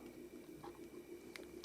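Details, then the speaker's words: Mini 700mW BD139/BD140 amplifier with input ground moved to the capacitor negative: steady high-pitched whistle over low hum with faint ticks; returning ground to the signal grounds makes it stable — oscillation from input ground loop. "got the annoying whistle or oscillation switch that back to where the signal grounds are bam it's much more stable"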